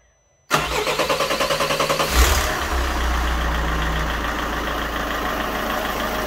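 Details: 2.0 HDi 163 (RHH) diesel after replacing leaking injector seal caused by broken injector holder: quick crank, catches cleanly into an even, steady idle with no misses or knocks; no longer appears to leak.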